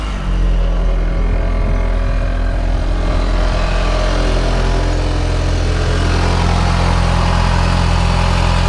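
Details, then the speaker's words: Audi TT MK1 turbo, engine running: steady drone with a loose, uneven buzzing rattle. The downpipe is suspected of vibrating against the subframe, with an exhaust bracket off and catching; the exact point is unconfirmed. "blowing here but sounds like the downpipe's vibrating against the subframe so need to pull that up and do a bit of rejigging on that"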